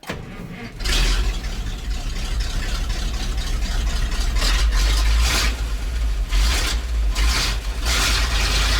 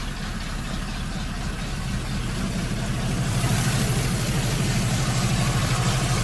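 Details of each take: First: ZIL crane truck, running after a weak ground connection was noted: the engine catches quickly and settles into a strong, even run with no knocks or misses, working cleanly. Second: ZIL crane truck idling; nearly silent with the hood closed, but the mufflers have holes in them: low steady idle with a slightly raspy, puffing exhaust edge that swells a little midway.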